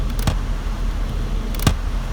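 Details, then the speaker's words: 2002 Nissan Sentra after vent selector dial repair, fan on: two crisp clicks from inside the dash as modes change through top, floor, defrost-and-foot and defrost, working normally. "Got air up top, both floor, defrost and foot, and then defrost only, and you can hear it clicking inside."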